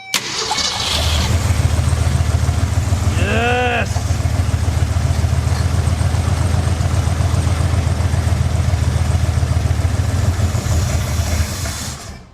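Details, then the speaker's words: 1966 Mercury Montclair, believed 23,000 miles, first start after 20 years, fuel line off the carb into a bottle: a low, slightly uneven, loping idle. Misfire, running on six cylinders because two spark plugs are broken. "I can't believe it runs this good on six cylinders. Remember, two of those plugs are broken."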